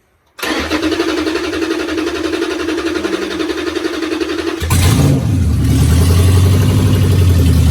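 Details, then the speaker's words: 5.7 G3 Hemi being swapped into a 1971 Challenger convertible with drive-by-wire, started through a relay start switch after the SKIM was removed. Quick catch, brief rev, then a steady, even V8 idle with no stumble or knock. Normal start and idle. "All right. So, you hear it running. It means the skim's removed. Everything's enabled for my uh start switch."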